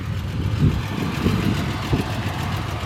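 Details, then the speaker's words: Restored 1970 Triumph TR6, 2.5-litre inline-six with four-speed manual, said to run and drive great. A steady, even low burble at idle with no knocks, misses or hunting is a normal, healthy idle. "Very nice car, has been restored, driver quality all the way. Shows nice, runs good, as you can hear it is"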